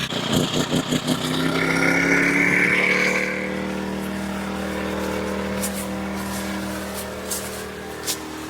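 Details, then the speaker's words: Predator 1400 inverter generator on a DIY carp boat, running 8 lights: catches with a quick rising rev, then settles to a smooth steady hum at even pitch with no misses. "So yeah, the generator runs great, runs all the lights. Yep. We'll fire it up."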